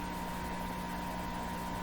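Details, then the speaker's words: Eatons Universal Electrohome floorstanding tube radio, signal generator injected through front end and IF to speaker: steady mid-pitched whistle over low hum with warbling wobble; intermodulation distortion, possibly 60-cycle hum, cause not yet found. "doesn't sound very good at all though it should maybe you should produce a nice pure tone but it's not at all a beer tone the characteristic sound we're hearing is called intermodulation distortion"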